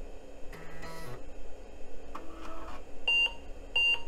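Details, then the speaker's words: Vintage pizza-box PC with 4 MB RAM, reassembled and running on a CR2032 battery: two short buzzy floppy seeks, then clean paired beeps at boot. Both drives respond and the machine posts normally. "all right got a seek on both drives"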